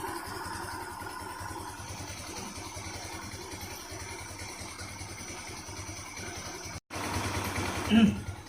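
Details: ER150 single-cylinder motorcycle, hot, just after fitting a DIY oil cooler: low, steady putter holding an even idle, no misses or knocks; normal idle.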